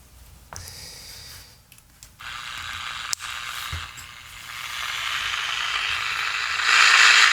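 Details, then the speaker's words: 10-transistor Transette radio after the faulty capacitor was replaced with a 33 µF 35 V part: loud, steady hiss and tuning crackle swell from the speaker with plenty of volume, and stations are received well. The audio stage is working properly. "Oh yeah, that's very loud."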